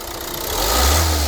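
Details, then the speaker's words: Opel Movano biturbo diesel, injectors recently repaired (nozzles replaced), one injector knocking under highway load; at idle with free revs the knock is absent: smooth even rev rise without ticking; current clamp on injector 1 and microphone fitted; normal free revving. "как видите на перегазовки звука не слышно то есть на холостых даже нагрузочку даешь звука этого не ответили работает чётко"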